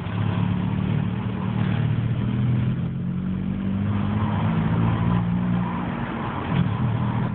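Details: Opel Astra G under acceleration: engine pulls with a steady low drone and wavering tones; odd noise under load, cause unclear.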